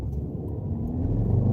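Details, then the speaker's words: Dodge Dart pulling away under load in second and third gear with a rough, stumbling misfire and the check engine light blinking, after a makeshift spark plug fix; bad misfires point to a bigger problem than just the plugs. "Miss Fire's back second gear D Miss firing third gear check engine light blinking yeah so we got a bigger problem than just the plugs bad misfires man"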